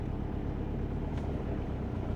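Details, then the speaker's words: Subaru Forester on Haltech ECU, raised steady idle with a dull heavy note; AFR around 10, over-fuelled; target 14.7, corrections just starting. "And look at the AFR. It's fat. 10. So, probably got a lot of fuel."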